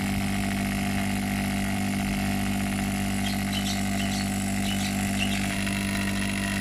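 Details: Opened refrigerator compressor on test, run after adding test lubricant: steady low hum near 200 Hz with faint rattle on top; dirty valves.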